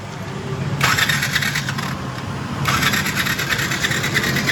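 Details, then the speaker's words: Yamaha SZ motorcycle that sat unused for many days: two bursts of electric starter cranking, even with choke, but it never starts. Plug and battery were checked fine; the cause is water in the fuel tank affecting the carburettor. "अशाप्रकारे आपण पाहू शकता गाडी self होतीय. गाडी start होते पण गाडी start होत नाही यासाठी आपण चोकताही वापर करून पाहिला गाडी सेल्फ होतोय पण गाडी चालू होत नाही"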